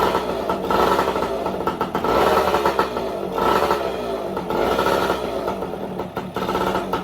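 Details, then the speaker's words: 1972 Yamaha LT2 100cc two-stroke enduro, matching numbers, just started on fresh fuel, revs blipped about every second, a bit smoky (possibly old fuel in crankcase or air leak): crisp ring-ding, no knocks or rattles; normal running. "no nasty noises so that will be an easy easy bike"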